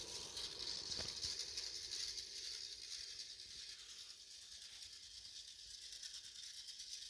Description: This Bionaire 360 XL purifier started making this noise after just a few months of light use. There are no obstructions or anything inside the fan blade housing. The fan is not rubbing on anything either. It sounds like a bad bearing.